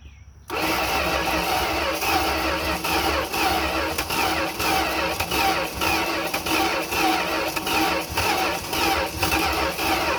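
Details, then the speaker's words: 1971 Dodge D100 V8 truck, parked on a farm for 34 years, briefly catches and runs several seconds, uneven and pulsing, only on gasoline poured into the carb; accelerator pump suspected not working; engine firing on primed fuel. "she's trying for sure it's a little more down in here"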